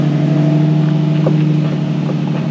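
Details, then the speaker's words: Nissan 350Z idling after a clutch fluid reservoir change, clutch pedal pumped: smooth low idle hum with no whirring or chirping from the throwout bearing; clutch sounds healthy. "a few times, and I can hear it when it's in. No throwout bearing, throwout bearing, no throughout bearing."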